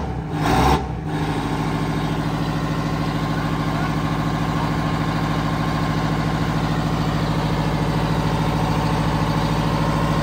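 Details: Terrex Zor plow with Detroit V8 engine, after stuck injectors were freed with WD40 and tapping: catches after a second of cranking and settles into a steady, even low diesel idle with no knocks; normal start and idle.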